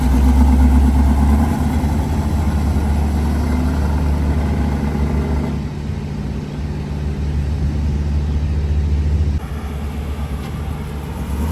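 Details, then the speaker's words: 1973 Chevrolet Camaro LT with a 396 big-block and Turbo 400, turnkey. Brief blip, then a steady, even idle settling lower with no ticking or knocking; normal idle. "But it's turnkey, it fires right up."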